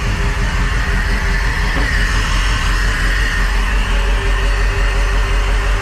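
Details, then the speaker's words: Crusader 8.1 Captain's Choice marine engine with new long block, running rough and not making rpm: heavy low rumble with an uneven, loping pulse about three times a second; one cylinder dead. Injector issue suspected, not confirmed. "it is like a full-on dead hole here let's take a look i heard that one"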